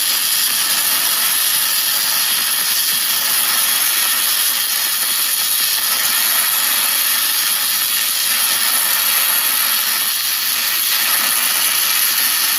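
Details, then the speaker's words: ArcCaptain MIG 250 running MIG spray transfer for repair welding on a Caterpillar grapple bucket, a high-heat mode with deep penetration and shielding gas: a smooth, even, steady hiss with no crackle or popping, holding constant; normal spray transfer arc. "Now, the spray transfer is a lot of heat, offers a lot of cleaning action, and really it's a way to push MIG and get very deep penetration, very clean weld, and running your shield gas on there and really cleaning it out."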